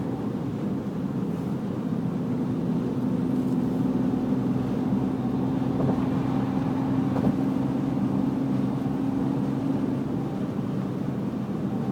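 Steady engine running with a faint constant tone in the low-mid range riding over it, a whine of unknown origin.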